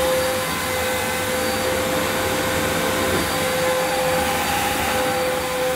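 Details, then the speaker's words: Electrolux Cyclonic Lite bagless upright, circa-2005 model new in the box, first run: smooth motor hiss with a high whistle but no brush-roll growl, plus a burning smell; owner suspects the agitator belt needs replacing. "hmm it's not got the the growl I expected from the agitator I'm just gonna check that because it's possible that the belt needs replacing"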